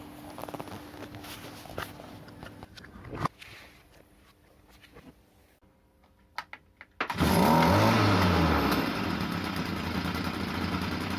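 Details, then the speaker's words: Stihl FS 38 trimmer, about 15 years old, which would not start, after its carburetor was cleaned: the small two-stroke catches, revs crisply, then settles to a steady, even buzz. Normal running. "слушайте Ну помогло по моему вроде бы и так вообще все бодренько"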